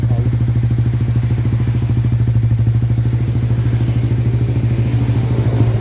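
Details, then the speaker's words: Motorstar motorcycle with a freshly cleaned carburetor, battery measured nearly dead: lumpy, uneven thumping about three beats a second with beats dropping out; misfire, suspected weak battery starving the ignition. "Sobrang palado guys kasi ng karburador lang ito guys kaya pa kung ano parang kinakabos yata sa kuryente."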